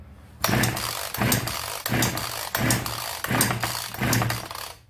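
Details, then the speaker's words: Genoa 3800 chainsaw, apparently stored long-term, choke does not fully close and no primer pump; repeated pull-cord whirring bursts but it never fires, WD sprayed in to help; no start. "여러분들을 다른것 같은데 지금 폭발을 하지 않습니다"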